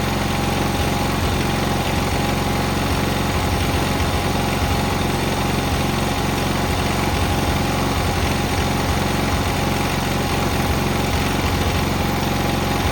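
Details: Cub Cadet 682 tractor with Kohler KT17 twin, started first try after jumping the solenoid, on a battery charger: a steady, even idle with a smooth low rumble and no knock, miss or surging; healthy engine.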